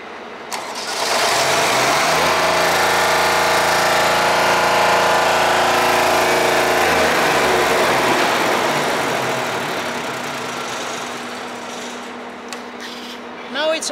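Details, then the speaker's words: Deutz 3-cylinder diesel, previously hard-starting early mornings, restarted after a fuel tank modification: brief crank, catches and settles into a steady even idle without hesitation; normal start. "it's okay, guys. Before, too much problem, guys. Very headache for this. Now it's okay."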